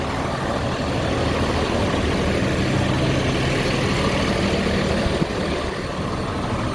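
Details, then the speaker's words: Freightliner M2 106 with a Cummins diesel. A steady, even drone with the turbo spooling up and no whistle or squeal: normal running. "We're good. That's the turbo spooling up."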